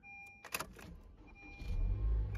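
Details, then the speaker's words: Car that would not start after sitting overnight with a dead battery, jump-started with a booster pack: a couple of clicks, then rising starter churn catching into a firm running rumble; cranks and starts normally. "起来了，起来了。哎呦我的天哪，你这玩意儿挺好使啊。"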